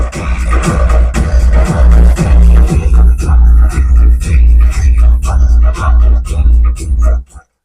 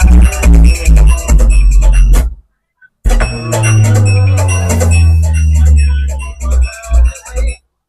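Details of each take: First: Cave 3000 W amplifier, one channel's parts burned by high voltage: loud bass-heavy music turns torn and crackly as volume rises on first channel while second channel plays cleanly; faulty channel. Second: Cave 3000 W amplifier after repairing the channel that gave cracked, distorted sound, with voltages restored: music plays back clean and full with strong bass, no crackle or distortion.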